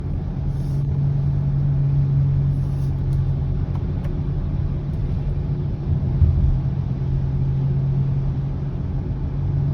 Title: 2020 Subaru Ascent low humming noise - #3